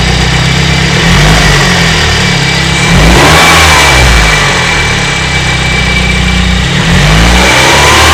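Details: BMW E30 318is, M42B18 engine with bad cam sprockets and slack timing chain: loose metallic rattle over the revs, worst at 2800 RPM (3000 RPM after tensioner replacement); driven about 50,000 km in this condition.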